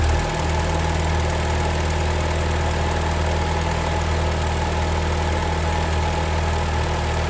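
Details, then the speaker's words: Alfa Romeo 159 with the Twin Spark petrol engine, which also has an oil leak: rough, uneven idle with a hard ticking clatter over a low engine drone that sounds like a diesel, a known issue for these engines. "but if your alpha sounds like a diesel"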